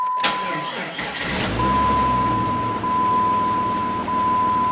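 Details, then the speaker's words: 1999 Jeep Grand Cherokee 4.0 4x4 with a failing starter that cranked super slowly in winter: the engine turns over sluggishly and unevenly under a steady door chime, never catching crisply. The worn starter motor is to be replaced. "I tell you what this winter man you'd give this thing a little bit warm and it would not crank and still crank it super slow"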